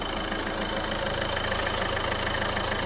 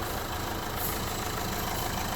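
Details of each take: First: 2011 Renault Clio 1.5 dCi, 226,432 km, cold idle: irregular light ticking about three per second with a brief hiss, noise mostly when cold; torn PCV breather membrane in the valve cover. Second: 2011 Renault Clio 1.5 dCi diesel, 226,432 km, brought in for an odd engine noise mostly when cold, after service: quiet, smooth idle with steady low rumble, no ticking or rattling; running normally.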